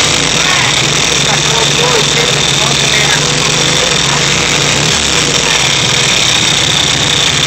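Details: First start of a freshly rebuilt VW Type 3 1600 cc single-port engine, after an earlier backfire; steady even idle with strong fan hiss and a low smooth beat, no knocks or misses. Normal idle.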